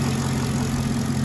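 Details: 2016 Chevrolet Caprice after repair of rough running (codes P0208, P0300, U0401, B1517, StabiliTrak fault; owner suspected body/engine grounds), 6,081 engine hours: steady, even idle with smooth low rumble, no stumble or miss; runs much better, sounds fixed.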